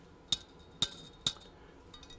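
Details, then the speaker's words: 1938 Zenith 9S262 tube radio, 5Y4 rectifier tube shaken: three sharp glassy clinks about half a second apart from a loose internal part. Replacement to be recommended, since a short could take out the main power transformer. "It's fairly inexpensive, and if there's something loose and it shorts, it could do lots of bad things, like take out the main power transformer, which would be a bad deal."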